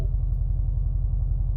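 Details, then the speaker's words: Subaru boxer engine at idle: deep, lumpy uneven burble from unequal length headers, the normal Subie rumble, nothing wrong. "It sounds like a Subie. It's the Subie rumble. There's unequal length headers is what I've been described."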